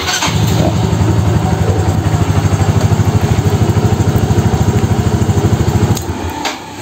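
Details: Yamaha Xeon RC FI scooter after fault traced to burnt 4-pin starter relay, battery charged about 10 minutes: starter cranks briefly, engine catches and settles into steady, even putter around three beats a second; clean start and idle.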